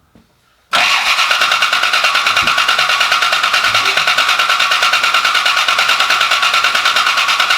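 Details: Rebuilt Cobra V8, first start attempt, pressure 55: even starter cranking at about three beats a second, never catching. Ignition timing off because the distributor was misplaced; pulling, resetting and refitting it made it fire right up.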